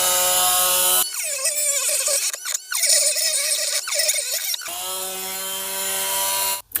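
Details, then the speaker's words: Parkside PFBS 12 C7 cordless mini grinder at medium speed cutting plexiglass: high whine drops sharply in pitch and wavers under load, then recovers; motor bogs and lacks torque. "coupe, mais on reste quand même sur le même problème. Il manque de couple. On entend vraiment le moteur forcer."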